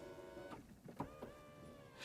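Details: Motorhome electric table lift motor: quiet, steady hum with faint mechanical clicks, running normally during the test, though it stopped working again afterward.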